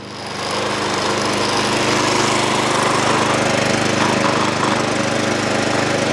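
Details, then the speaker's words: Small single-cylinder snow blower/mower engine after carburetor cleaning and reassembly, started on choke and prime: settles into a steady, even putter at idle with no hunting or surging; Seafoam to be added next. "idles let's get some seafoam in"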